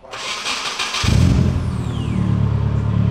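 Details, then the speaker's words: 1990 Nissan 240SX (S13) first start after build with new Greddy exhaust, new transmission mount and motor mounts: quick crank, catches and settles into a deep, steady, even burble, louder than the old exhaust; normal start. "That's very deep. Yeah, that's nice. Yeah, that's louder than the other one. Sounds like a real 240 now, huh?"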